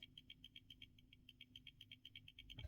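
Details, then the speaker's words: Samsung S24 Ultra with camera assembly removed and shaken: quiet rapid rattle about seven or eight clicks a second, louder than normal OIS movement; lens stabiliser loose, camera module needs replacing. "there is ois which rattles the phone a bit but this is a bit more louder so let's see why it's happening"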